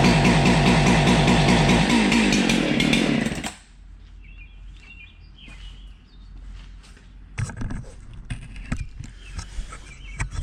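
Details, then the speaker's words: Husqvarna 371 XP chainsaw that backfires on start, idles poorly and won't rev: rough, loud burbling for three seconds that never climbs into a clean rev, then drops off; still had spark, cause found to be a failed ignition coil module. "now it'll idle it won't rev up at all it just kind of girdles a little bit it doesn't die but it doesn't it doesn't run either"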